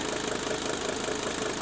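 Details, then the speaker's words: 1983 Mercedes 300D diesel after dual-tank conversion, switched over to straight vegetable oil (Mazola) for about 2 minutes: even, soft idle with only light, regular injector clatter, noticeably quieter than on diesel. "So, it only took 2 minutes to switch over and to quiet this engine down running on straight vegetable oil. Isn't that amazing? Listen how quiet that engine's running now."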